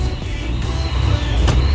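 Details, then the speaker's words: 1988 Saleen supercharged Foxbody Mustang on first cold startup with a new tune: rough idle, running rich on cold enrichment, about 14 inches of vacuum, slight surge, with a steady supercharger whine over the engine note; tune still needs fixing. "you hear the wine from the supercharger and it's not smooth idle I have to like I said I have to fix the tune"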